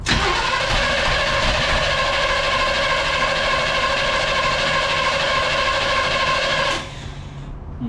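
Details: 1969 Impala being revived after 20 years, cranked with fuel poured down the intake: steady starter cranking about three turns a second for nearly seven seconds without firing; timing judged off, plug wires possibly in wrong sequence.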